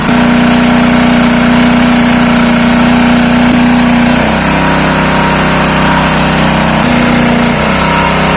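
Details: Dirty Honda GX160 engine driving a water pump, previously seized with lost compression, running with the pump filled with water to test suction: loud, steady single-cylinder drone with even beat and constant pitch, no knocks or scraping; normal running, suction strong.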